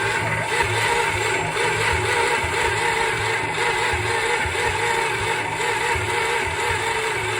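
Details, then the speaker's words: 1963 Dodge Dart 270 convertible with Mopar 360 V8 swap, 21 years off the road: slow, labored uneven cranking at about 9 volts with no catch; slow cranking from low battery voltage. "That's something, I guess. 9 volts cranking isn't quite enough."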